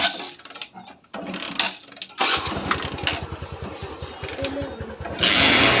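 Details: Honda Shine after a low-cost full engine rebuild, refitted with all bolts tightened: kick start, then the small single fires into a quick, even putter with no knocks or rattles, idling smoothly and healthy.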